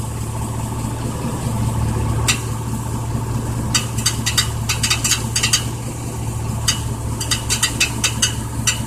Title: 1999 Chevy Silverado rattling noise